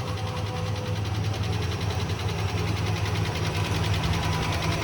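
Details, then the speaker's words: 1980 Rover SD1 with the Buick-derived V8, running again after 18 years once its low fuel supply was topped up. It idles deep, smooth and even with no knocks or misses, though the alternator is still making some noise while charging. "Sounds good. All right, that is awesome."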